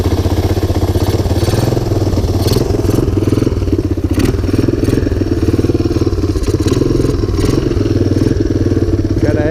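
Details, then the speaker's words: 1985 Honda ATC250ES Big Red single-cylinder, cold start next day on choke, jump pack attached, not ridden in 3 years, carburetor recently swapped: choppy, uneven thump with the odd stumble; rough running when cold. "it's cold so excuse his fussiness run some choke"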